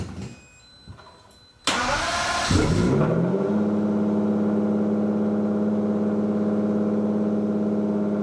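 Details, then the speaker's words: Lamborghini Diablo VT V12 garage find, first start after fuel pump problem found, clutch in, neutral: short crank catches at once, revs flare then settle into steady even idle with no misses; healthy start. "holy moly that kicked right over that sounds awesome"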